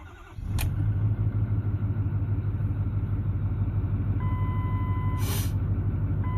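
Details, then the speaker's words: 2009 Ford F250 6.4 Powerstroke diesel right after cold start with glow plugs: steady, even smooth idle with no lope or miss; normal for now before the #7 injector problem appears in gear. "All right, now, sounds normal now, okay?"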